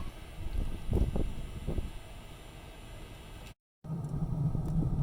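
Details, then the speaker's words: Espar diesel furnace in a Winnebago Revel: soft start then a steady, even low roar from burner and fan with no more white smoke, running properly after pinching the fuel line and cycling the furnace three times. "right in about a minute later you can hear its roaring back to life now you can see furnace been on for probably about a minute or two now and no more smoke so back in business"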